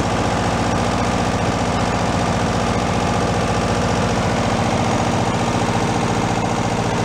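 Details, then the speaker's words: 1970 VW Super Beetle revived after over 30 years sitting in a leaking garage, first start: busy clattering idle with a fast uneven beat; a little noise at first that seems to be going away, oil pressure confirmed, cause unknown. "sound there was a little aqui at first seems like it's going away"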